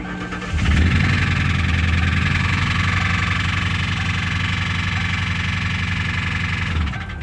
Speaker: Customer states, what's this noise on startup?